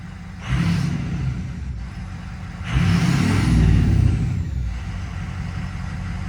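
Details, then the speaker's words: 2006 Ford F-250 6.0 diesel, about 260,000 miles, EGR deleted, just restarted after an HPOP rebuild: settles into an even idle between two throttle blips, no stumble or shake. No rough idle at startup, no air in the cylinders. "The amazing thing is, when it started, there was no rough idle or anything. Like, there was no air in any of the cylinders."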